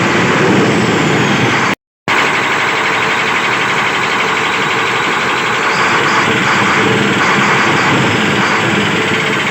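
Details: SEM 650B loader, Chinese six-cylinder diesel with hard-start and stalling problem, after clearing the fuel supply hose and tank strainer: diesel runs on steadily with an even throbbing beat, no stumble or hunting; normal running.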